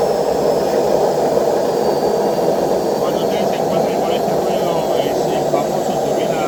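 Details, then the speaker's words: Washing machine during the spin cycle makes a steady jet-turbine roar with no rhythm. The drum bearings are worn, and both bearings and the seal need replacing. "turbina de avión, es porque tiene problema en los rodamientos. O sea, hay que cambiar los dos rodamientos y el retorno."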